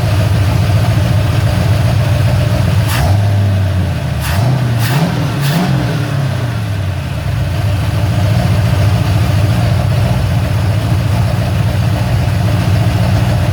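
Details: Ford Falcon XC GXL's restored 351 V8, warm with thermostat open, while idle is adjusted: a steady, even, slightly fast idle, with quick throttle blips returning cleanly. Normal warm idle.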